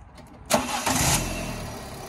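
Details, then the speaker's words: 2012 Ford Ka Titanium, 61k miles, salvage car, Fiat 500-based petrol engine; quick crank, instant catch, smooth steady idle with no knocks or rattles; normal start and idle. "little fiat 500 engine exactly the same sweet as a nut"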